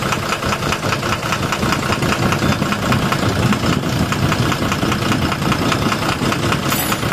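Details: 12-M FE engine at loud busy idle with a loose tapping knock about once a second riding over the engine; engine knocking, cause not yet pinned down.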